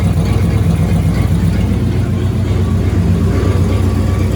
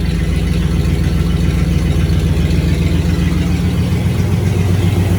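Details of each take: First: Rebuilt 1965 Cadillac Coupe DeVille V8 idling after 10-15 minutes of warm-up and a short test drive: deep low idle with uneven stumble, about four lumpy beats a second, engine visibly shaking; owner unsure if misfire, plans to check spark plug gaps. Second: Rebuilt 1965 Cadillac Coupe DeVille V8 at idle, timing 8° advance, no exhaust fitted, after spark plugs were re-gapped: steady even burble with no more popping, just a slight residual shake. Normal idle.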